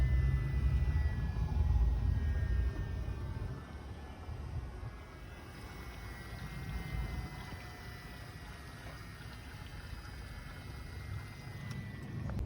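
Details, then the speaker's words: BMW N54 after upper radiator hose repair, coolant bleed with heater on hottest, fan lowest and gas pedal held about 15–20 seconds: low steady hum and buzz with faint coolant gurgling for the 10–12 minute cycle. Normal electric water pump bleed cycle. "All right, so the noise stopped. It's like low humming, buzzing noise, whatever you want to call it. It ended."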